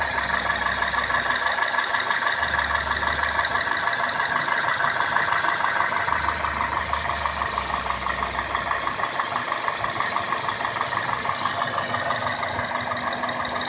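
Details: 2002 Toyota Corolla S, 1ZZ-FE engine, at idle: steady light ticking about three per second over an even idle, seemingly top-end; source not yet identified.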